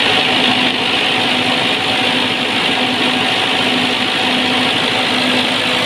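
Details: Perkins diesel genset after a hard-start problem, with a suspected faulty relay in the switch box and fuel bled through: a steady, even diesel drone with no misses, knocks or hunting, idling smoothly.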